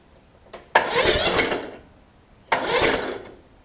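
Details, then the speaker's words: Toro Z5000 zero-turn, Kohler Courage engine blowing back through intake on exhaust stroke; valve cover off, turning over; two short strained uneven cranking bursts; intake valve found too tight with little clearance, previously worked on (red RTV). "it just seems really tight see see the clearance on that man this is just a tight intake valve"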